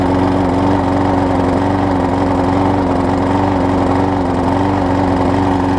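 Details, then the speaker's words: Husqvarna mower with transplanted engine, started with starter fluid before carburetor replacement: steady, even hum at constant speed without surging or dying; running fine. "so let me spray some starter fluid in it just to give it a kick to start and I'll see if it'll stay running for us"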